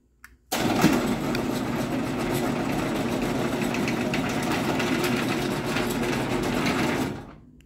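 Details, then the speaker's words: MW screw-drive garage door opener after re-seating a loose pulley that had scraped the back cover: smooth, even whir about six seconds, no rattle or grind; now a quiet machine, residual noise possibly rail vibration or screw support (unsure). Normal operation. "so yeah this thing is actually a really quiet machine without all that extra noise"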